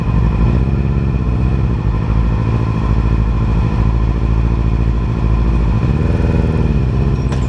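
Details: 2010 Yamaha R6 four-cylinder running on only three cylinders from bent valves in cylinder 4; uneven, lumpy idle and blips with a stumbling beat, a misfire from bent valves.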